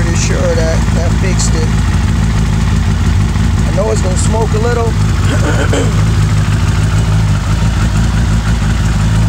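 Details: 2000 Suzuki Hayabusa after new exhaust manifold gaskets were installed: fires and settles into a steady, even idle with a firm low exhaust note and no ticking or puffing; sounds healthy.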